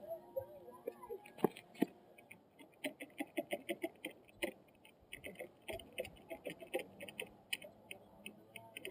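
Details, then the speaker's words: Kawasaki KX125 dirt bike, carb cleaned and new spark plug, kickstarting: quiet, uneven light clicks with no firing. The clicking is new, fuel drips from the exhaust as if flooded, and it seems not to turn over despite compression; owner suspects the carb. "I feel like it's not even like turning the gears because it's not even turning over"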